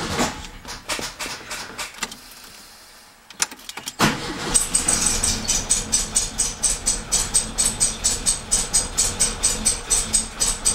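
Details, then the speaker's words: 1967 Beetle that wouldn't start, cranked through a temporary wire run from the ignition switch to the starter: it catches into a slow, lopsided chuff about twice a second, running on one cylinder. The owner concludes there is a break in the starter signal wire. "Oh, it's running on one cylinder."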